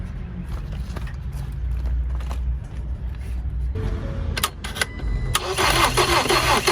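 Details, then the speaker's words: Salvage 2019 Ford Transit Connect being rebuilt after new manifold install: starter churns engine at about three beats a second but it never catches; no start, no fuel because fuel pump plug is broken off so pump isn't working. "there's our issue the fuel pump PL is broken off so the pump isn't working and we got no fuel"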